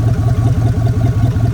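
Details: 1999 Dodge Dakota R/T V8 that sat in a backyard, run without fresh oil: deep idle with even pulsing beat, about five pulses a second, no knocks or rattles; normal idle.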